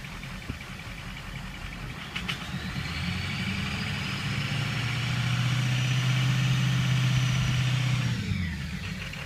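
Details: Ford 6.0 diesel V8 idling with a steady, regular knock of about four a second that briefly swells with a rev. Engine knock at idle, cause unknown to the owner.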